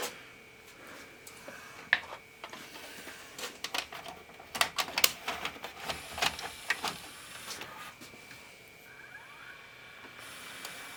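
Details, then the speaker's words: Symphonic VHS/DVD recorder combo, cold, after dielectric grease on the slide: irregular clicks and short whirs as tape loading tries and stalls repeatedly; mechanism still binding, teardown possible. "all right oh still didn't like that yeah still got work to do like I said we may be pulling it down anyway stops right there nope same thing"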